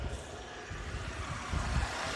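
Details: 2003 Oldsmobile Alero 2.2L Ecotec, after fixing cylinder 1 misfire by replacing the ignition coil assembly (plus plugs, boots, controller): low, steady idle with no stumble or shake; running smoothly.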